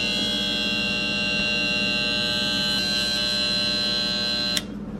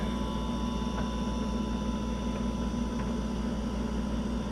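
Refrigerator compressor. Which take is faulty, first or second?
first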